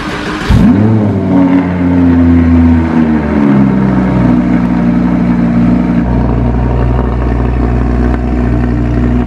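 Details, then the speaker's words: Crashed 2015 Audi R8 V10 at first startup after refilling with fresh gas, front fender liner cut away: crisp start, then a loud steady fast idle easing down with an even beat, no misfire or knocking; healthy. "All right, maiden voyage. It's idling good, it sounds good."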